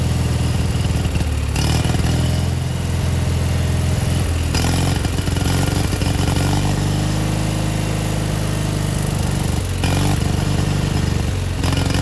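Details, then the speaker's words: 1987 Gravely Professional 18G riding mower, Kohler Magnum 18 hp engine: single-cylinder-style thump surging every few seconds at idle as the OEM carburetor linkage moves on its own, throttle untouched; carburetor believed out of adjustment. "It is acting sporadically all on its own, basically changing throttle settings without us moving the throttle lever up top."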